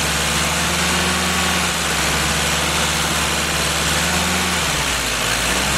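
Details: Freshly rebuilt Willys F134 engine (CJ3B) first start and break-in, shop fan running: steady even idle with smooth low beat under constant fan hiss; normal running.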